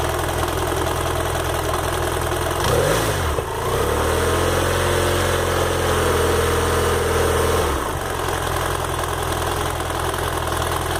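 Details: BMW F 800 GS bought at 2,600 km, hot idle on the side stand: light quick tick over idle, louder when leaning on the stand, stops when revved, not always present; source unclear, owner thinks normal.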